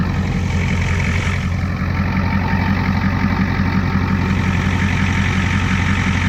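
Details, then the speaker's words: 1989 Ford F250 7.3 IDI diesel, first start from the cab: low, steady diesel clatter at an even idle with no misses or knocks; normal idle. "oh yeah that sounds a lot better a lot better"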